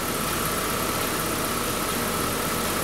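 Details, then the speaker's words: 2011 Buick Regal 2.0 turbo with a replaced engine and a fixed air intake, codes still zero after hard revving: steady, even idle with a smooth hum and no knocks, misses or hiss, plus a light rev that is not enough to build boost; runs healthy. "engine runs good runs really good we give it a little bit of a red up turn up"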